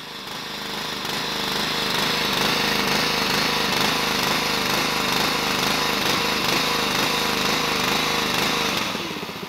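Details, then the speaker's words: Small petrol pressure washer engine hunting, its rpm rising and falling in a steady wavering rhythm instead of holding even; typically caused by a blocked idle jet in the carburettor, not confirmed here. "so I hope that explained what the hunting is it's that variation in the RPM of the engine typically that would be caused by a blocked Idle Jet in the carburettor"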